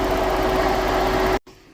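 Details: 2013 Ford Edge with an overheating problem, after the failed radiator fans were replaced: steady even fan roar with constant tone, no ticking or grinding, cutting off cleanly; radiator fans running normally.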